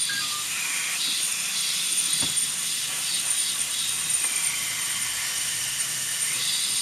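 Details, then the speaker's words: Nissan SR20DET (S13/180SX/240SX) intake under compressed-air pressure test, engine off: steady high-pitched hiss; vacuum leak at the bottom of the throttle body from a badly seated gasket. "psi all right you ready i hear a vacuum leak but i don't know from where okay i've got a vacuum leak somewhere over here hello i can't pinpoint it"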